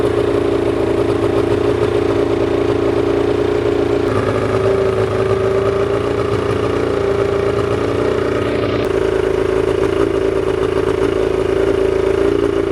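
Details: Old two-cylinder Evinrude two-stroke outboard with dual carburetors, single ignition coil and premix oil, running after sitting: steady buzzy drone at fast idle with a couple of small speed changes, smooth and even; normal running.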